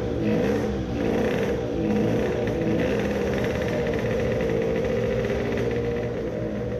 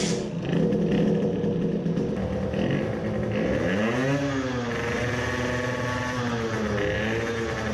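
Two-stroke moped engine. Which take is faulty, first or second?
first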